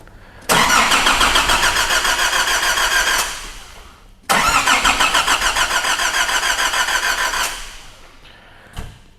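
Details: 2005 Nissan Navara D22 ZD30 3.0 turbo diesel, rotary pump, not common rail: two long cranking spells, about three and a half turns a second, even and brisk, while CAN bus checked, but it never catches; cranks, no start, cause not yet confirmed.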